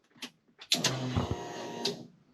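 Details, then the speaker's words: 1991 Mustang GT Foxbody with 1990 engine harness, unrun since 2000, key-on: relay clicks then even electric whir just over a second stopping cleanly; healthy fuel pump prime, about 10 psi, no fuel smell. "Okay, that sounds good. All right, relays are clicking. Fuel pumps are doing things."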